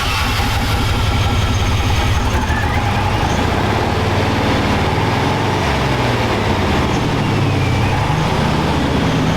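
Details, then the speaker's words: Scrap-yard Chevy truck with its fuel pump hot-wired, bypassing a suspect connector in the housing: deep, steady engine rumble that runs without stumbling; it dies once the jumpers come off, pointing to a bad connection in that connector. "sounds pretty good at least it runs"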